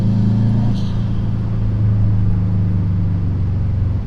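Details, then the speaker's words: Subaru STI back on the road after sitting 2 years, on old fuel, ECU likely in learning mode: deep steady exhaust drone holding even pitch while cruising gently, no misses or rattles; healthy engine. "It still makes good sound, even when you're not pushing it."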